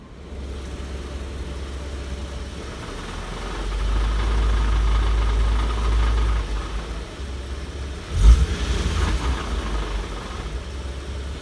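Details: Infiniti G37 idling in park: loose, tinny rattle under the engine hum at low rpm, triggered by vibration and flaring on throttle blips; caused by faulty catalytic converters, a known G37 issue.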